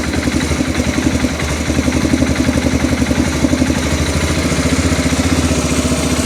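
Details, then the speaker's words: Arctic Cat 400 4x4 ATV with new aftermarket carburetor fitted after it wouldn't start or run well, just started and not yet warm: even idle putter around four beats a second, no stumbling or hunting, after idle screw lowered from slightly high; normal idle. "I think that's about where it needs to be. I think as it warms up, it'll get better."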